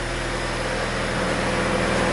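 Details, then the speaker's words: Honda Civic after exhaust repair with new nuts and donut gasket, exhaust slightly capped for back pressure to find leaks: steady, even idle drone with a faint low pulse, no puffing or ticking from joints; no leaks seen, good to go. "everything seems good and what we did seen any leeks i' would say this one's good to go"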